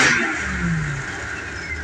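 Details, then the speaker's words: 1989 Ford Econoline 350 motor home, reportedly last run in 2020; after 4 gallons of fresh gas diluted the bad fuel, the V8 revs and settles smoothly with an even note, no misfire, healthy. "of it. Sounds good. Sounds real healthy."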